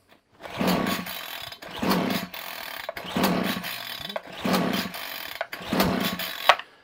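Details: Titan strimmer two-stroke, fresh fuel, primed, cold start on choke then half choke: surges up and falls back about once a second, never holding revs, dies off choke; carburetor fault suspected.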